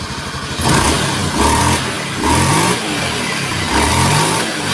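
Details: Honda Beat ESP scooter after rebuild fixing harsh noise and light smoke caused by a cracked piston and block: revs up cleanly in repeated blips and drops back, no rattle, knock or scrape; sounds healthy.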